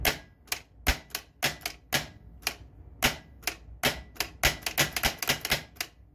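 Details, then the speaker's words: Harlem Globetrotters pinball, right flipper tested after unhacking its wiring: sharp, solid clacks in quick irregular bursts, crisp with no buzz or weak stroke; slightly less beefy than the left side since two flippers fire together; flippers working normally. "I think we're good. Alright, cool. Didn't sound quite as beefy as the left side, but that's only because there's two going at the same time."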